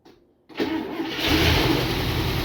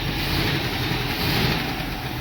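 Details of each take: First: International Scout engine, first start in about 13-15 years after new spark plug wires, no gas line connected: cranks, catches on starter fluid and fuel poured into carburetor, revs roughly about four seconds, short squeak, then dies. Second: International Scout V8 after about 13 years sitting, new plug wires, now fed by its fuel pump from a temporary gas tank: steady, even idle with no misses, knocks or hunting, settling in smoothly; owner unsure oil pressure gauge works.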